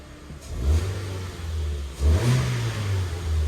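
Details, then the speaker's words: Peugeot 207 (a timing belt and water pump may be due): two clean throttle blips settling back to a smooth idle with no knocks, misses or rattles; the engine runs really well. "sounds really nice actually runs really really really well"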